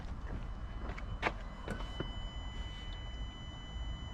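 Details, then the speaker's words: 2016 Peugeot Boxer 2.2 diesel after fuel filter change: self-bleeding system primed with ignition on 10 seconds, about four times, engine off; a faint steady high whine as the fuel pump primes normally. "Yeah, so what we do is start the ignition for 10 seconds to let the pump prime, and then repeat that about 4 times, I think."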